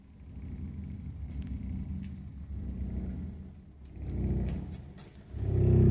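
Low rolling rumble that swells and fades in waves every second or two as the burner fires; the boiler runs rough, cause unclear.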